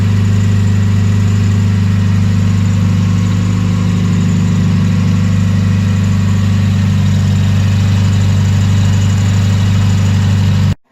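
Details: 1993 Mazda Miata 1.6L idling after replacing spark plugs: steady, even low idle with smooth unchanging beat, no misses or knocks; working properly.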